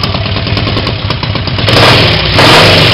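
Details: Triumph Tigress 250 scooter after full rebuild, freshly rebuilt Zenith carb, started about five minutes earlier: sharp raspy chuff on each firing pulse while revving, as the right-hand exhaust pipe blew loose from the manifold; exhaust leak, no valve clatter.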